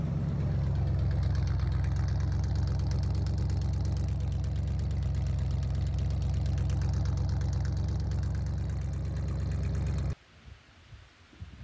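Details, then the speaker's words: 1977 Ford F150 351 Windsor V8 after new battery and starter cable, still needs a fuel pump, wiring tampered with: steady, even low rumble pulsing three to four times a second, no knocks or misses; normal idle. "Alright, so that's it running, and all I did was I had to put a new battery in it, and you can see the nice new red starter cable from the solenoid there. But it does run, and it's pretty smooth."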